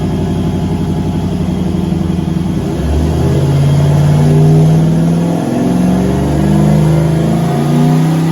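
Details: Turbo LS V8 Caravan with 4L80E automatic, warm, headers baking off: revs climb quickly and hang high on light throttle with little pull; 24% throttle gives 4000 rpm at only 45 kPa (idle ~40); owner suspects transmission slippage, fluid checked.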